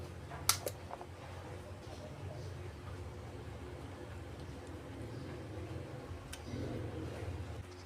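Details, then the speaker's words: Sakura AV-739 amplifier after repair of a relay that would not switch on, powered up with a speaker on the left channel: quiet hum, then a sharp double click as the protection relay pulls in; switching on normally. "mga boss narinig niyo nag-switch on pa rin yung kanyang relay"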